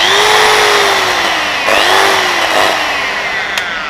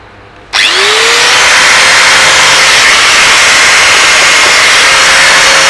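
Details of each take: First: Bosch GWS060 angle grinder that lacks power and cuts out; a high motor whine sags and surges unevenly and cuts in and out, with a shorting-like sound; the armature is suspected. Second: Bosch GWS 060 angle grinder that ran weak and cut in and out, after cleaning dirty carbon brushes: motor spins up to a clean, steady high whine, holds speed, winds down smoothly; runs normally again.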